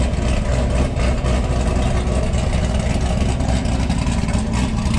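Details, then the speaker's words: Cadillac LS V8 started cold after an oil pressure sensor replacement: deep idle with an uneven, loping, cam-like chop in the exhaust beat; it surges when cold and the owner wants it tuned to surge less. "I would like to get that NATO tune in a little bit for so it doesn't surge so much on cold surface there we go I can hear the Texas vvvt through camp"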